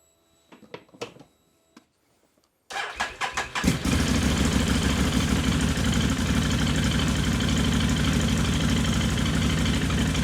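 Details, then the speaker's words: Can-Am Outlander 800 XTP that had no power and hardly ran, after battery holder replaced: cranks briefly, catches and settles into a steady, even idle with a smooth low rumble, warming up; normal idle, charging 14.5 volts. "let it warm up for a [Music] minute sounds good put this heat shield back on here"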